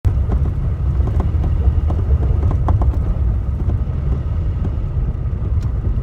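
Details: Clunking from under the steering wheel of a Toyota Tacoma pickup while driving on a rough road: irregular sharp clunks over a deep road rumble; cause and fix unknown.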